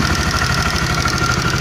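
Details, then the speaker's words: 2016 Honda CB150R at fast idle after valve shim replacement and clearance set: a light, quick metallic rattle over the beat, blamed on a damaged, stretched cam chain tensioner. "karena step senernya ini udah rusak tuh. Ini step senernya udah subalan ya tuh, palingnya ada itu."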